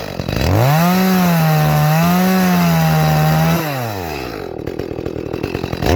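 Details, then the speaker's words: Echo CS-310 chainsaw in the cut after high-speed jet leaned further: clean high scream, drops off without burbling or four-stroking out of cut; mixture a touch lean, richened slightly. "Alright, it's not 4-stroking out of the cut, so I'm going to go ahead and richen it up just a little bit."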